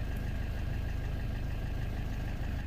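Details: Great Wall diesel at steady idle after draining water from the fuel filter and priming via the primer bulb; low, even clatter, no misses or surges, and the water-in-fuel light goes out. Normal idle.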